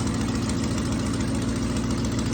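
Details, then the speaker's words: 1966 Ford Thunderbird V8 after fuel pump, water pump, radiator, coolant and ignition work: a lumpy idle with quick puffing ticks in time with the firing pulses, from an exhaust leak. "i can hear that exhaust leak good things are coming"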